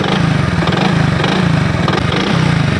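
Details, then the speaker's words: Motorcycle before repair, revved with the throttle: rapid heavy knocking rides on the engine beat, sounding like a worn connecting rod; actual cause a loose magneto nut. "तो जी दोस्तों, सुना है हमने, जैसे एक्सीलेटर थे इस तरह लग रहा है इसके अंदर जैसे कनेक्टर रॉड ख़त्म हो गया हो, तो उसी की आवाज़ आ रही है।"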